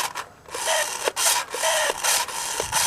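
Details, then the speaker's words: 1998 Radio Shack Hot Machine RC truck, unused for years: the motor gives a dry, raspy, uneven whirr, sounding like it needs lubrication, and steering responds reluctantly; cause suspected, not confirmed. "looks like the steering's working a little bit reluctantly but the motor sounds like it needs some lubrication"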